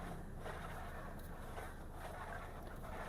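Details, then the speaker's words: Isuzu D-Max 2012 with an idling engine after a steering wheel change: soft swishing rubs come and go as the wheel turns, because the plastic column cover was fitted too deep and rubs the wheel. "อันนี้ท่านี้รู้เลยสีมาจากอันนี้สีมาจากอันนี้ตัวนี้เพราะว่าช่างคนที่เขาใส่อ่ะเขาใส่ตัวพลาสติกครอบอ่ะลึกลงลึกเกินไปหน่อย"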